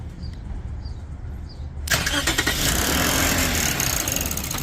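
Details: 2007 Lexus IS250 with intermittent no-start, battery light on, no check engine light; starter relay jumped under the hood; quiet, then a short crank catches cleanly into a steady idle with no stumble.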